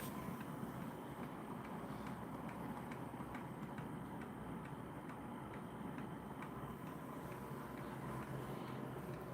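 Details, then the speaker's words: DIY pulse motor driven by signal generator; faint quick regular ticking just above background hiss, much quieter than its usual loud squeaky sound; owner suspects the transistor needing too high voltage; pulse motor running weakly. "But it's probably the transistor and the fact that you need to put in so many volts for it to function properly."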